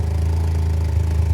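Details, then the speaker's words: Vauxhall Corsa with replacement engine, first run after building oil pressure: deep, even idle, no knocks or misses; engine sweet, but loud droning big-bore exhaust blowing at the unwelded flexi. "Sounds alright, that, doesn't it? Apart from the big bore exhaust. Yeah. So it sounds sweet there, that."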